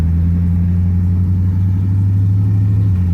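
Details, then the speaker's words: 1999 Chevy Tahoe Limited (OBS) automatic, first drive in 10 years after cheap injector fix, light throttle around the block: steady low drone with smooth change in engine note shifting into second, no clunk or flare; normal upshift. "second gear shifted good"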